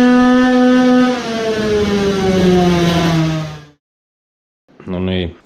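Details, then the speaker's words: Tuned two-stroke moped engine on a dyno with half the transfer ports blocked by tuning plugs; it misfires less and revs almost to 15,000 rpm, but the pitch sags and it sounds flat and weak. Power drops to 7.1 hp. "now it clearly sounded like it was weaker maybe we have 20hp now when half of the ducts are plugged?"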